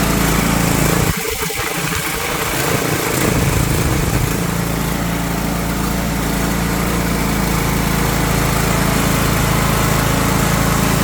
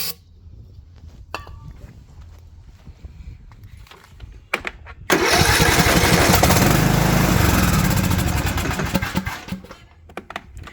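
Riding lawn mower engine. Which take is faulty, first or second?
second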